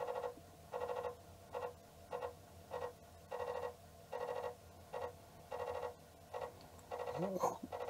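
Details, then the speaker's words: Commodore 1541-family floppy drive on diagnostics cartridge, reading track one fails: repeated uneven short buzzing bursts from the head retrying; disk read failure. "okay that doesn't sound uh very nice yeah reader failed gonna try once more so it seems to have issues with the reading track one"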